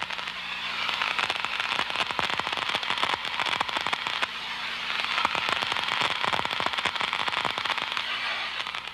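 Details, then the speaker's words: Ultraprobe 2000 ultrasonic leak detection, liquid leak amplifier poured on suspected leak: dense continuous frying crackle of collapsing bubbles in earphones, indicating an active leak. "it forms bubbles these bubbles collapse creating ultrasound which is distinctive and recognizable"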